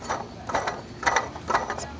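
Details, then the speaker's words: 1998 Toyota Corolla, serpentine belt removed: the water pump pulley, spun by hand, has noticeable play and gives short, loose clattering rattles; the water pump is suspected faulty, not confirmed. "here is what we think is the water pump it's got quite a bit of play you can hear it rattle around yeah that is doesn't sound"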